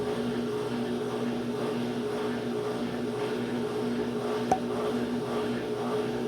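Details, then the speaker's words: Brastemp washing machine on spin: the motor hums with a rough, wavering rubbing tone, a loose motor pulley, likely fixed by tightening. "pessoal já até descobri aqui ó tá solto aqui ó eu acho que é só aperto"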